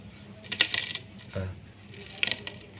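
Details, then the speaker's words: Daihatsu Luxio lower radiator hose squeezed by hand during cooling system renewal: two short bursts of dry crackling as the aged, brittle rubber flexes; hose needs replacing before it bursts. "Dan ini adalah selang radiator bagian bawah . Lihat, sama saja, benda ini mengeluarkan suara saat ditekan."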